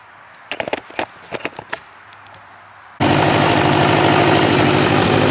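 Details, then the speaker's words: 1986 Kawasaki Ninja 600R with a coolant leak, idling while it warms after water was added: a few handling clicks, then a steady, even idle with a smooth continuous note and no misfires or ticking. It runs nicely. "Sounds good. That's nice. No running problem. It's actually seems to run pretty nice."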